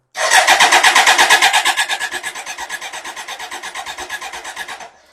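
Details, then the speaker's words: BMW K100 motorcycle: steady starter cranking, about three compressions a second for nearly five seconds, no firing. Spark confirmed because it ran on brake cleaner; seller said the fuel pump doesn't work. Crank no start, no fuel. "it needs fuel needs Spark I know it's got spark because it's running on Brak CER so from the guy I bought it from his understanding is there's no fuel pump working on it"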